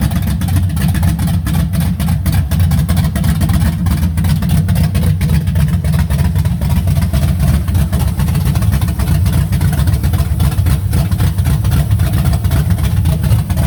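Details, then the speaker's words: 1970 Chevy C10 original 350 short block with stock cam, Vortec heads, aluminum dual-plane intake, Holley 650 carb, HEI and ceramic-coated open headers (no exhaust): deep, loud, lumpy V8 rumble at steady even idle, no knocks or ticks; normal idle. "it sounds amazing still has a stock cam in it but for what it is sounds pretty good"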